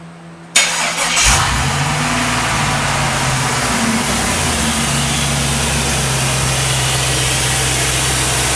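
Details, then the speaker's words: LS-swapped C10 V8 after fixing fuel pump gurgling, fuel pressure holding 50 psi: quick crank, catches first try and settles into a smooth, even idle with no misses or knocks; normal start and idle. "Right where we want to be. 50 psi. Hell yeah. Man, that sounds good."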